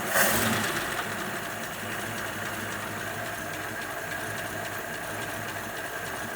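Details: 1941 Ford pickup, not yet warm, after carburettor flooding issue, choke not hooked up, bowl refilling: light fairly even idle patter with a brief blip at start, then steadier; normal idle, sounds a bit happier.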